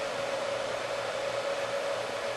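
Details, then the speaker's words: Heathkit SB-200 amplifier after high-voltage power supply board replacement and soft-start, powered up on a variac: smooth even fan rush with faint steady tone, filaments on, no crackle, arcing or smoke; about 2300 volts; normal. "Yep. Fan spinning. Filaments are on. No smoke."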